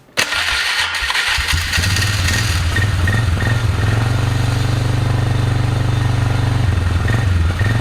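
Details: Polaris Magnum 325 ATV, lean and starving for fuel, started on a weak battery. It fires quickly, then idles with an uneven, sputtery beat that dips now and then; running lean, later traced to unfiltered air pulled around the filter.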